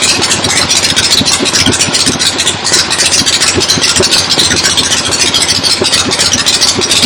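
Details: 1975 Harley XLH Ironhead Sportster V-twin, fresh rebuild, first start outdoors on a temporary lawnmower gas tank: loping uneven potato-style beat about four pulses a second, mechanical clatter, settling steady; oil return established, oil pump working, normal idle.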